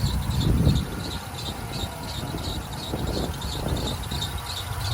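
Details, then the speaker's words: Chevy 4.8 V8 first start after Amazon stage 2 cam swap, new headers and intake gaskets, untuned: high chirping squeal pulsing about four times a second over lumpy idle; worn idler pulley, replacement ordered. "As you can hear, we got it running. The idler pulley needs to be replaced. I already got one ordered."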